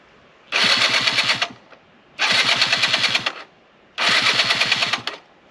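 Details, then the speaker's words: 1998 Yamaha RZ50 two-stroke 50cc, first start after restoration with seals replaced and refinished muffler fitted: three short hissing, spitting crackle bursts from a bad exhaust leak, later fixed, after which it ran quietly. "排気漏れがすごいな。"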